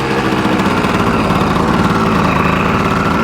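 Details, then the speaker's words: Original 1986 Yamaha Tri-Z 250 two-stroke, warmed up: fast, buzzy, steady idle that never dips or settles, idling too high. Mixture screw suspected set too far out, but this is not confirmed. "All right. So, it's starting to rev a little high. So, I probably had the mixer screw a little too far out."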